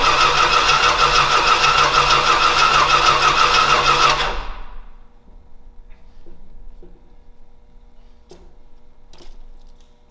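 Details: Old Stewart & Stevenson aircraft tug with plenty of fuel getting through: a steady starter churn at about three turns a second for four seconds, then it stops; it cranks but won't start.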